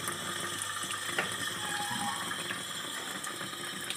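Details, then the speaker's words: Panasonic washing machine fill: thin, hissing trickle of water with no strong rush; weak fill from a faulty water inlet valve whose diaphragm has torn with age, blocking flow. "trường hợp này là bị r quan nước vào nha mọi người"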